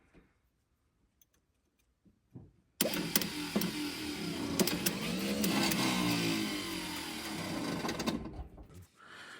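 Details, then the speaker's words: 1976 Dodge W600 Power Wagon sat 20 years, starter cranking: slow laboured cranking about four turns per second with dragging whir that fades; weak starter, brushes found not making contact. "Brushes aren't making contact anymore because they're Yeah."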